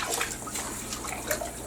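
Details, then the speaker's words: Toilet after flushing during a Lime-A-Way toilet cleaner test: irregular trickling, bubbling and gurgling pops as the bowl slowly drains down; a partial blockage is suspected, not confirmed. "okay so there there's definitely a plug in the toilet i can hear the gurgling i can hear the bubbling sounds"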